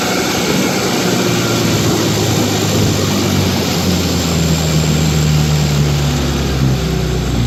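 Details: 1955 Johnson QD-16 outboard running at high speed: steady, even two-stroke drone with no misses or knocks; runs well at high speed despite poor idle and hard starting in neutral.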